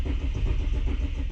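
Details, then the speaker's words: Barra-powered Ford BA Falcon sedan cranked with fuel pump relay removed to bleed fuel pressure before replacing the fuel pump with a Walbro: even starter cranking, engine never catches, crank no start. "First up, I've removed the fuel pump relay and tried to start the car. This step isn't 100% necessary, but should remove any fuel pressure in the lines to and from the pump and help to minimise how much the car interior smells like fuel later on."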